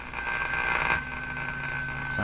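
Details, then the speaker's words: Philco 49-501 Boomerang radio with suspect special 30-4644 tuned capacitor, extra capacitance added in test: steady high-pitched whine over weak noisy station; oscillating, poor reception. "pretty bad and a wine with it the idea is to get rid of that [Laughter] [Applause] wine"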